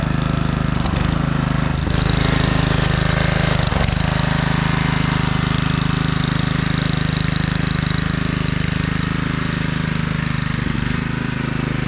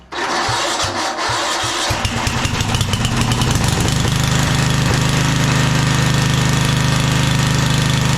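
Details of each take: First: 1997 Craftsman II rear-engine rider, 13.5 hp Tecumseh, on test drive while mowing after electrical repair: steady regular single-cylinder putt with no hunting or misfire; carb came around, mows smooth and quiet. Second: 1997 Craftsman II rider, 13.5 hp Tecumseh, long-stored: slow cranking chuffs, catches, then rough uneven idle gradually steadying; flooded from too much gasoline poured down the carb intake; also surging, owner says carb needs cleaning.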